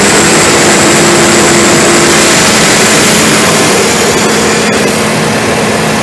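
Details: ARIACOM SAX 112 diesel screw air compressor (Cummins 93 kW engine, Atlas Copco screw block, 12 atm working pressure), warmed up then loaded via toggle, at maximum pressure with the engine at 2000 rpm: loud steady roar over an even diesel drone, held constant; normal loaded running.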